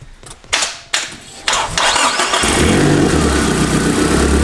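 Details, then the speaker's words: Turbo van first start after turbo install: cranking bursts, then uneven loping idle with hollow exhaust roar, open dump/downpipe exhaust leak; rough running from massive vacuum leak and oversized injectors. "You have a massive vacuum leak, and you have the wrong injectors too."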